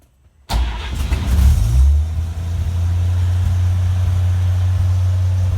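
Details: Fire'y 49 truck, converted from original 6-volt generator system, battery at 12.6 V: short crank, fires at once, flares briefly, settles to steady even idle with no misses; healthy start, charging system then reads 13.5 V at idle.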